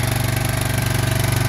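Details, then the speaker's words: 2003 Yamaha Big Bear 400 push-button 4x4 ATV, cold start with choke on: quick, even thumping single-cylinder idle with a steady beat, no ticks, no knocks and no leaks; normal cold idle. "all right choke down runs great you can hear no uh no Weir ticks no knocks it's a strong machine"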